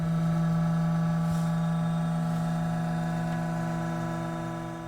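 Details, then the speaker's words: Eberspächer Hydronic S3 diesel coolant heater system (AquaSystem) in a camper van, heater not yet fired: the commanded water pump circulates coolant from the tank through the heater and floor while bleeding air, with a smooth, constant low hum. Normal. "As you can hear, the water pump is running. So we have the coolant coming down from the tank into the pump, through the heater, and back up through the floor into the system."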